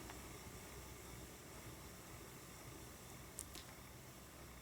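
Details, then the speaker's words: Ashford E-Spinner 3 spinning wheel after the whomp fix, a felt washer filling the gap between bobbin and motor plus waxed cotton thread: soft steady hiss and low hum, no bobbin knocking, running normally. "you're still always going to hear the sounds of the wind but you don't hear the bobbin knocking around that's pretty cool is it not"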